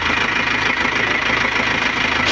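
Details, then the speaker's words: Nissan Panther diesel freshly rebuilt with NPR liners and original piston rings, idling and being run in to check for oil and water leaks: an even clatter with no misses or knocks, idle still to be adjusted. Normal idle. "Alhamdulillah untuk suara mesin oke, adem, halus. Stasionernya juga nanti kita atur lagi setelah kita running ya teman-teman ya."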